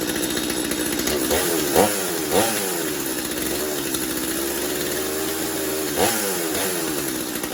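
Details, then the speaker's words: Stihl MS250 chainsaw test run with fuel and good compression. It starts and holds a steady, even buzz with no misses. Normal running. "Sounds like we got fuel. Should be enough to get it started and make sure it's running. Good compression. There we go."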